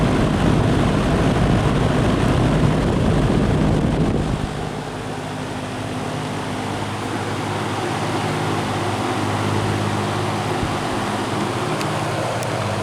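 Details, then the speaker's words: Old GE 20-inch box fan, model F17W12, on high speed: deep, steady low-frequency hum with an even whoosh of air and no rattles or scraping. Normal running on high. "these old box fans they always give off that distinct low frequency sound to them I can come in a room with my eyes closed and know that yep that's the sound of an old box fan running"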